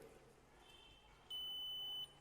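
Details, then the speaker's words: Repaired multiplug extension socket, continuity test after reconnecting red and black wires to terminals: one steady high beep under a second in a quiet room confirms black wire terminal connected and good. "यो आवाज आयो भनेपछि यो तार ठिक छ।"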